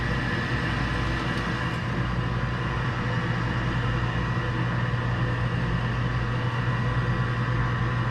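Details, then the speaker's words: York furnace fired up after a pressure switch repair: an even, steady burner roar with a constant hum and no surging or popping; a noisy but normally running furnace. "Noisy bugger. It's like the same furnace I got in my house, which is getting ready to get changed to a Carrier Infinity."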